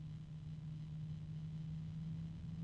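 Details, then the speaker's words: Computer fan under test: steady fixed-tone high-pitched whine over low rumble, no knocking; source unknown, suspected harmonic resonance. "There is a high-pitched noise coming from it at this point. There's a higher pitched noise now."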